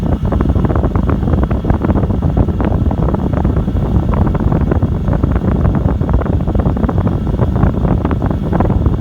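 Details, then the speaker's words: New Chinese diesel air heater on 12 V, glow plug off after startup, set to its slowest 1.7 rate: steady rushing fan roar with faint quick fuel-pump ticks, each delivering a tiny amount of fuel; running smoothly, sounds healthy. "the little pump that you hear tapping just delivers a tiny tiny amount of fuel with each pump"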